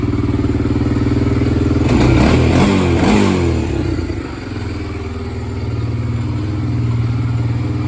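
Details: 1993 Honda 300EX ATV single cylinder, running after revival work: it thumps along, blips sharply twice to a higher pitch, then settles back to a steady idle; normal running and revving.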